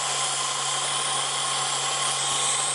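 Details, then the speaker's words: 1998 Ford Contour, 2.5 L V6, 165,000 miles, code P0401, at idle with the connector pulled off the EGR vacuum regulator solenoid line: constant airy hiss over an even idle hum, so vacuum is present. Owner suspects the solenoid isn't diverting vacuum to the EGR. "I pulled this little connector off, and you can hear it. There is vacuum coming here."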